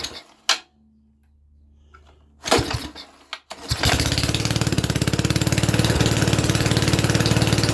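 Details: Mini tractor engine, first start in 13 years, no exhaust fitted: a few pulls, then catches and settles into loud, even, rapid popping; running nicely, loudness from missing exhaust, shortly before a suspected snapped conrod.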